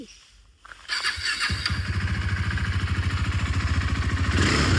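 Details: 2017 KTM RC 390 BS4, single owner, about 11,000 km, no major complaints: starter catches in under a second, then a steady even single-cylinder thump that picks up cleanly on the throttle; healthy running.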